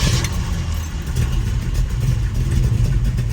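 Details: V8 with an MSD ignition system, after a fix for the car shutting off, run cold in the rain: a deep, throaty idle, slightly high and lumpy while cold, firing steadily with no cut-outs.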